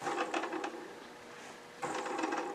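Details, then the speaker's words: Cheap single-bearing live center (mandrel saver) spun by hand: dry, tinny metallic rattle from its one bearing, unlike a silent two-bearing unit. "you hear that bearing rattle? It's only got 1 bearing in it, and it rattles."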